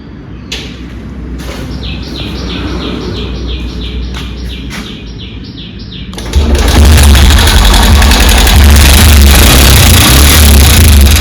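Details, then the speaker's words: Honda SP125 BS6 with about 7 km showing. After start-up, a loud, fast, regular ticking knock of roughly three to four per second rides over the idle. Timing chain or rocker was suspected; found to be a broken rocker arm roller bearing. "ह य आवाज सुन सकते हैं कितना खराब आवाज हो रहा है य तोक इसका खराब हो गया है ब टू गया टाइम चन का का कुछ प्रॉब्लम है इसमें"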